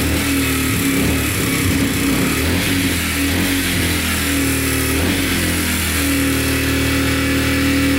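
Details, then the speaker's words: Yamaha TTR125 dirt bike (believed 2003) after top and bottom end rebuild, following running out of oil; 1000 ml oil added; single revs steadily, even smooth note, no ticking or knocking; runs and sounds really good. "all right runs and sounds good no ticking sounds really good"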